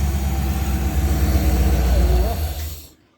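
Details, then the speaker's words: Rover V8 with twin SU carbs, warmed up and just tuned: low, even burble at steady idle with no misses or knocks before shutting off. A smooth, healthy tickover, running as well as it ever has. "got 100 reps on the tick over there we go I'm going to call that one done for"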